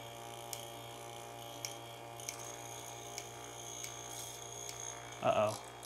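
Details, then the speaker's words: Coffee grinder burr alignment test, burrs slowly closed until contact: steady motor hum with sharp, uneven high chirps as burrs touch on one side; burrs badly misaligned. "You could tell how misaligned that was. You could hear it going. The chirping was way off, meaning these burrs are hella misaligned."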